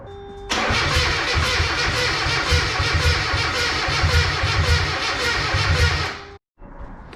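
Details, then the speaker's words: Mazda Miata project car cranks with steady starter grind, about two and a half pulses per second, no firing; owner suspects timing possibly 180 degrees out, not confirmed, plans timing light check. "i think it's 180 degrees out possibly but something doesn't seem right"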